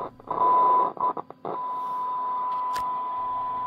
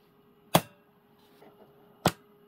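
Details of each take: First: WWII German Funksprechgerät f radio receiver on bench, 21 MHz AM test signal, 12 V heater, low anode voltage: test tone crackles and drops out as volume knob turns; scratchy volume control improves with use. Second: Repaired German WW2 Funksprechgerät f radio: the big relay gives two sharp, clean clacks about one and a half seconds apart over a faint hum, pulling in and dropping out properly.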